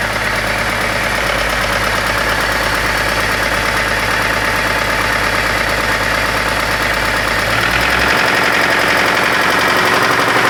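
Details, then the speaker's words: 2002 BMW X5 E53 with 3.0-litre M54 engine (231 hp) at idle: rough repeating knock about three beats a second, suspected spun connecting-rod bearing from oil starvation, unconfirmed until teardown; valve cover also leaking oil. "диная сила автомобиль пригнали на ремонт с характерным стуком в цилиндро-поршневой группы"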